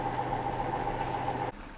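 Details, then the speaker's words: Hotpoint NSWM 1043C W UK N 10 kg washing machine (Whirlpool-made, circa 2007) on rinse and spin after shock-mount repairs; steady clean motor hum shutting off cleanly, no ticking or knocking; normal spin. "30 minutes come on 30 minutes it's not really ticking though"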